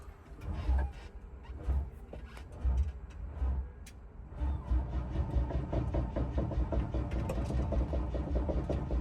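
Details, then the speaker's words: Double-decker bus diesel starting after its starter motor was rebuilt; batteries thought to be a bit low; slow heavy cranking about once a second before it catches and settles into a steady, healthy run; normal start. "Took a bit longer to start than normal, but I think it's obviously where the batteries are a bit low."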